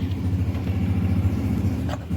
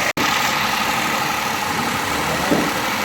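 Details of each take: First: 2007 Toyota Vitz with CVT, starting trouble: uneven, pulsing idle with irregular stumbles and a dip near the end, engine misfiring. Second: 2007 Toyota Vitz CVT after repair of starting trouble and misfiring: engine settles into a smooth, even idle with no stumbles or missed beats; misfire gone, running normally.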